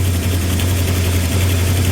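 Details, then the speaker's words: 360 Magnum V8 just swapped into a Coronet, first fire-up on a jump box, still warming up. It has a steady fast drone idling around 2,000 rpm by ear, exhaust leaks around the headers, a squealing belt and an unidentified noise. "sounds like it's idling at about 2,000 RPMs by my ears that's a little better we still got exhaust leaks and stuff going on around the headers"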